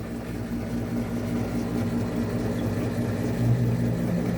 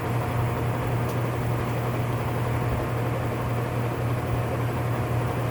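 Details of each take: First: Whirlpool top-load washer, complaint of grinding when motor runs, in diagnostic test mode: smooth even low hum from the drain pump, no grinding or rattling; agitating and draining normally. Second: Whirlpool top-load washer (model 110…) with grinding complaint when motor runs, manual-test high spin: constant rough, hissing grind over a steady low hum; worn gear assembly needing replacement.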